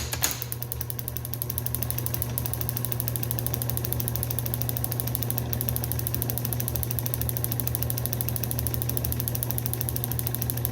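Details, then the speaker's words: Restored Fairbanks Morse FM-J 2B 6D magneto for a 1938 John Deere G, points set to 0.018 in, spun on a drive: after two early misses, a steady hum with an even train of sharp spark snaps and no skips; good solid spark. "you can hear the rhythmic snapping and you can tell that we've got good solid Spark a"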